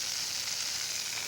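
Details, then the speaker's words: Drip irrigation main line under bushes, near a newly fitted compression coupling: a steady fine high hiss of pressurised water escaping, another leak where a branch line has probably been snapped off. "I'm hearing another leak somewhere I can hear it it's in here somewhere and I'll bet you another one is snapped off"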